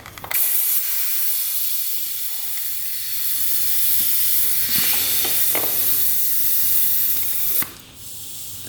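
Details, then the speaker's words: 1995 Honda CR250 two-stroke, engine stopped, during a leak-down test with the power valve cap removed: a steady airy hiss as pressurised air escapes. The air leak is at the power valve vent area. "look at that yeah power valve area that's weird huh so we have an air leak at the power valve"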